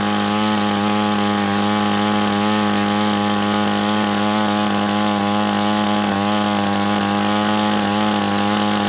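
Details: OS 120 AX glow engine on a test stand, break-in run at about 63°F, primed and hand-started: high, even buzzing drone at constant speed with no sags, misses or surging; healthy and tuned pretty close.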